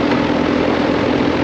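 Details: Residential outdoor AC condenser unit, called out because the compressor would not turn on, running after being switched back on at the thermostat: steady, even fan rush with a constant low compressor hum, no knocks or rattles; house at 71 degrees and blowing cold; running normally.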